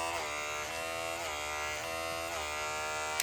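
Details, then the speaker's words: Wark 108 hair clipper before blade replacement: steady high buzz with a slight rhythmic pulse about twice a second; blade badly worn, chewing hair and cutting poorly. "tá com a lâmina muito desgastada."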